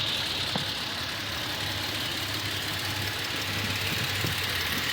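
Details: Toyota Tacoma engine, well maintained, warm at operating temperature idling under 1000 rpm: persistent rapid ticking over the hum, slight shakiness, no check engine light; owner suspects defect, dealer says within spec.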